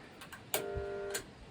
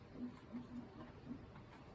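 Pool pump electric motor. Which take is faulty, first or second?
first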